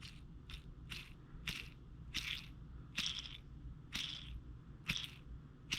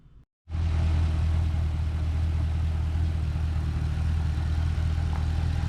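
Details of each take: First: 2012 Camaro SS LS3, about 160k miles, squeal mostly at idle: removed lifter with play in the roller turned by hand gives a dry, scratchy squeak-crunch about once a second; worn roller lifter axle, the source of the noise. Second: 2012 Camaro SS LS3, about 160k miles, after replacing all lifters to cure an idle squeak caused by a bad lifter; warmed up while burping coolant: smooth even low idle, steady rumble, no top-end ticking or squeak.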